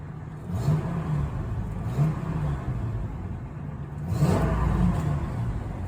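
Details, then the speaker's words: 2000 Ford F250 V10 Triton after temporary serpentine belt squeal fix: deep rumbly petrol idle, then a few throttle blips with no belt squeal. "Yeah, no squeal there. Well, it's back and running smooth again."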